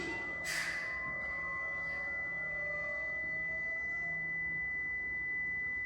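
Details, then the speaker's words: Prevost bus (Marathon conversion) brake warning buzzer: steady high single-pitch buzz over faint low hum as brake pedal is stepped and held during air pressure check. "and that's your alarm thing going off"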